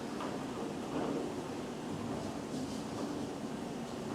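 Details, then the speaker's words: Flex CNC rigid tapping a through hole with a 3/8-16 spiral-point tap after software engineers corrected the tapping cycle: steady, even machining hum with no squeal, so the thread is not being pulled; normal tapping. "I don't hear the squeaking sound so it doesn't sound like we're pulling the thread like last"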